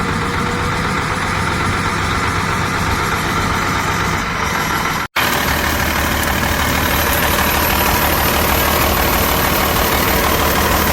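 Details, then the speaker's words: Detroit Series 60 diesel, new engine with a couple thousand miles, around 50–55°F, hard starting: an uneven, stuttering idle with dropouts and heavy smoke but no check engine light. An exhaust leak is suspected, and the misfire cause is unknown. "Yeah. The no check engine lights. Still stuttering. Smoke everywhere."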